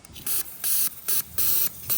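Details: Old 42 lb fuel injector for a Fox-body Ford Mustang, bench-tested after cleaning: crisp, even hissing bursts about twice a second, each cutting off cleanly, so the injector is spraying and clicking properly.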